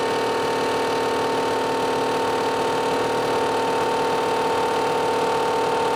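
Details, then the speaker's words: Solar-powered motor at full speed after loose magnets were fixed: smooth, steady mid-pitched hum with no rattle or wobble, much better than before. "well that sounds a lot better than [Music] before"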